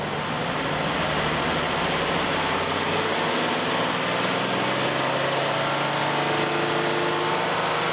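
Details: Nissan Elgrand E51 (ME51, 2008, 2.5L, about 90,000 km) at steady engine speed with a faint whirring tone while the AC compressor runs. The noise starts around 2000–2500 rpm, has lasted about 3 years and is absent without the compressor; its cause is not pinned down.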